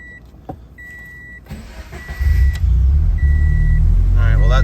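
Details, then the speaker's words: 2013 Scion FR-S start after cycling the key a few times: door chime, brief crank, engine catches at once into steady low idle; owner says a weird startup happens mostly on cold starts, suspecting throttle body not opening enough; normal start here. "time it started fine it likes to do it most when it's cold when it's a cold start"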